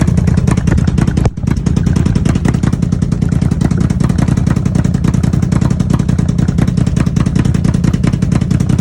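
Steady engine run with a fast, uneven popping pulse, around three beats a second, that points to a possible misfire.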